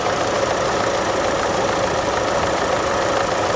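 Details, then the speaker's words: Nearly new Kia Forte, about 4,000 miles, at a salvage auction, check engine light on: steady idle, earlier engine rattling now gone, only a fine fast light direct-injection ticking remains. Normal direct-injection ticking at idle. "i was concerned with the amount of rattling coming from the engine but as you can hear that's gone all you can hear now is the direct injection"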